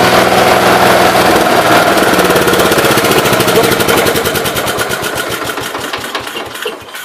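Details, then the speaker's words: 1969 Gravely 432 tractor running on its carb: the single-cylinder beat slows unevenly and fades as the engine dies; a stall, owner suspects the carb flooding, with a slight rod knock noted. "Yeah, it did it again, so. I don't know. It does run halfway decent."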